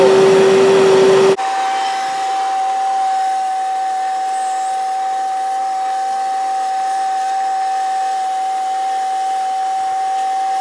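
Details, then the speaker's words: Mini wet vac that died vacuuming drywall dust, after repair of the overheating heat switch: smooth steady high whine with even airflow hiss, no stutter; motor running normally again. "All right, that sounds a whole lot different than it sounded when it took a crap."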